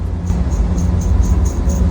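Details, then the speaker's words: Air conditioner indoor unit fan motor spun by hand: rough dry rumble with a faint high tick about four times a second; worn fan motor bearing, fixed by replacing the bearing, after which it runs quiet. "这个声音呢，就是跟上一集我拍过的 fan model 的 bearing 坏。"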